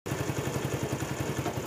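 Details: Honda CD70 motorcycle after carburetor/petrol setting adjustment: small single putters at an even, steady idle with no misses, surging or clatter; setting is right, expected fuel average around 50 km or more.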